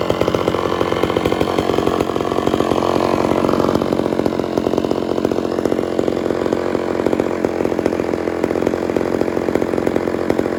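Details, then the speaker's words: Homelite Super XL chainsaw after cylinder and carburetor rebuild, during low/high screw and idle tuning: strong, even high rev with crisp firing buzz, slight pitch shift around four seconds, then steady; normal running. "start adjusting the low the low screw start getting out to the high screw I've gotta do some idle adjusting a couple of more tweaks on the low screw"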